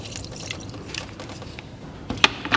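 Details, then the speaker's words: Mini Cooper S F56 engine with no compression on cylinder 4, fluid leak-by test: fluid trickles and drips audibly out of the cylinder, which won't hold it. Bad rings or a missing piston chunk is suspected. "it's about the same amount. You can hear it. You can hear it just running out. So yeah, you can visibly see it go down, can't you?"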